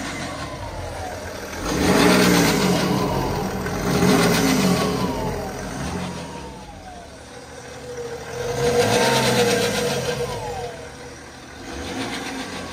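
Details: 2012 BMW X5 30d E70 diesel revved in bursts: whining tone rising and falling with engine speed over a rattly idle; suspected timing chain noise, chronic failure starting at 250,000 km, not confirmed.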